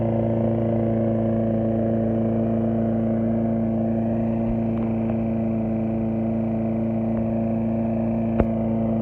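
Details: 2006 Briggs & Stratton XC 35 mower that wouldn't start, after fixing a loose brake/kill-switch cable that kept the kill switch closed: steady, even drone at constant pitch, no misses or knocks; normal running.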